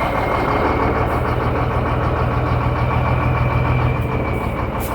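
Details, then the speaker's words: Shacman diesel tanker truck with one rear wheel jacked up spinning in gear: loud heavy drone with rough uneven cycling low rumble; noise is in the differential, not the gearbox; differential to be opened. "बस बस बस तो इसके depressor में आवाज है। तो अभी हम इसका डिप्रेसर खोल के चेक करेंगे।"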